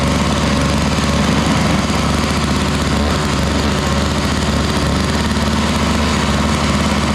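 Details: Toro Powerlite single-stage snowblower, model 381182, 98cc two-stroke, just started cold: steady buzzy drone with slight unevenness; needs warm-up time but runs fairly well.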